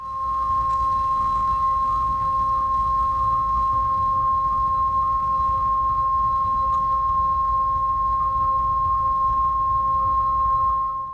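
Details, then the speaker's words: Thermalright Wonder Vision 360 AIO pump, recorded with a microphone up close near full speed: a steady piercing whistle with a second tone an octave lower. Loud squeal, dropping off significantly below about 80% pump speed. "As the pump approaches full speed, it starts to make a loud, high-pitched squealing sound."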